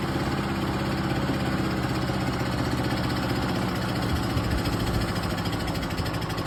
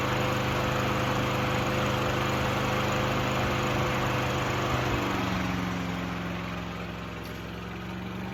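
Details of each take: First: Craftsman 6.75 HP self-propelled lawn mower, primed about 10 times, gas and oil checked, before carburetor work: small single runs with a lumpy, uneven, wavering beat, struggling and unstable; carburetor suspected. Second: Craftsman 6.75HP self-propelled lawn mower after throttle cable moved to hold wide open (previously not idling high enough): steady even drone at full throttle, brief dip midway then recovers; runs pretty good.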